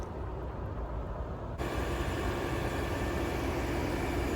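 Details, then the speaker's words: 2020 Toyota RAV4 hybrid, 4-cylinder, after about 4 years, combustion engine kicked in by turning on heat/AC: engine comes in and settles into a smooth, even hum, no ticks or roughness; perfectly normal. "perfectly normal perfectly smooth sounds just like you would expect a Raff or hybrid to sound after 4 five years of driving"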